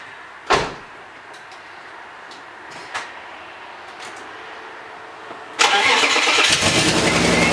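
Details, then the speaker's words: Crashed BMW E36 with old straight-pipe exhaust, at start-up: engine fires into a loud, raspy, hissing roar; hole in the exhaust causing a leak, which the owner thinks he has located and plans to patch. "so I'm gonna start the car chase in hear how it sounds criminy you're gonna hear the hole in the exhaust I think I know where it is"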